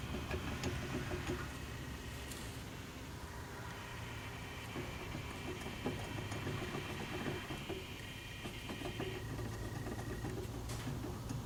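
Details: 1964 Wildcat 401 V8 running steadily with a faint, uneven whirring and a thin high whine over the rumble. The water pump shows too much play from bad bearings.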